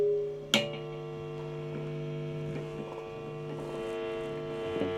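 A steady low buzz with a stack of higher buzzy tones sits under the amp hiss, typical of single-coil pickups catching mains interference.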